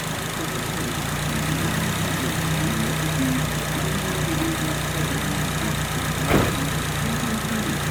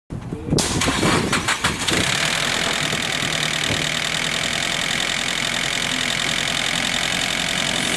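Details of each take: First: Nissan SR20DET engine after repair of a rattling (garagara) noise: smooth, even idle with a steady hum, no rattle or clatter, one brief bump near the end; normal idle. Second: Nissan SR20DET: engine cranks and catches, then busy idle with a harsh metallic rattle over it; source not pinned down.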